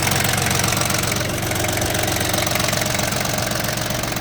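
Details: Yanmar FX18D Japanese mini-tractor, diesel, 956 engine hours, just imported from a Japan auction with no Russian use, engine under new cover; steady even diesel idle clatter about four beats a second, no extra knocks, engine running smoothly, normal idle.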